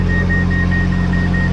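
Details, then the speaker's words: Fusion baler-wrapper behind a Massey Ferguson 3690 baling silage: short high beeps about five a second over steady tractor drone, a false no-wrap warning while wrap is going on, blamed on too little power to the control box. "As soon as it started wrapping, beep beep, no wrap going on. The house, the wrap is going on."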